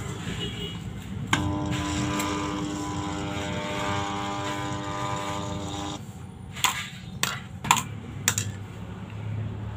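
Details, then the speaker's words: National GP 125 JP water pump, many years old: when plugged in, a loud steady electrical hum and vibration for about five seconds, but the shaft doesn't turn; locked rotor, fault in the rotor shaft or its bearing, worn. "ketika pompa air ini dicolok arus listrik itu timbul suara getar yang sangat kencang tapi as tidak berputar"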